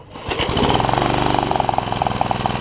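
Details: Honda HR194 push mower, single-cylinder, after the ignition coil swap and freeing the stuck throttle linkages. Started at mid throttle, it catches on the first pull and settles into a steady, even beat, running cleanly.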